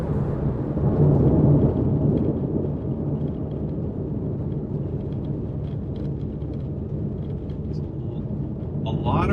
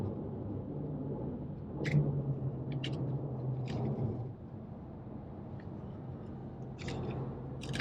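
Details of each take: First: Inside cabin of 2012 Porsche 911S (991.1) at cruising speed on rattle-prone road, after foam and felt tape added behind rear seat panels and seat belt: steady low tire/road roar only, no plastic buzz or rattle; rear seat rattle gone. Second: 2012 Porsche 911S (991.1) being driven, with road rumble and sparse sharp plastic ticks over bumps. The rattle is loose trim from the rear seat area.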